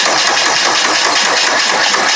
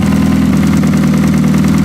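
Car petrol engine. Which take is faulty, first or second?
first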